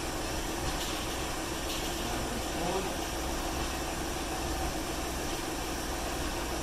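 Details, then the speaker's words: Mercury Villager/Nissan Quest just after a DIY fuel injector replacement and fuel rail priming: it catches quickly and settles into a smooth, steady idle with no misses or knocks. No codes read afterwards. "Nice and smooth."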